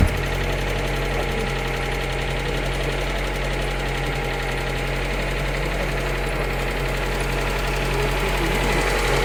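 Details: Lada Granta Sport engine at idle: persistent ticking knock about three or four a second riding over the steady idle; something in the engine is knocking, cause unconfirmed.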